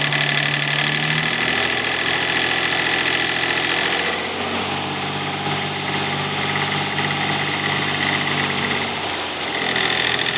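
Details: Nissan 300ZX naturally aspirated, revving: high whine over the engine that disappears around 1800 rpm and returns around 2500 rpm; cause unidentified.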